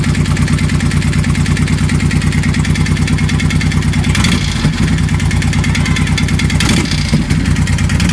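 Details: 2004 Honda VTX 1800 V-twin at cold start idle: steady, regular knock over the lumpy beat; cause unknown.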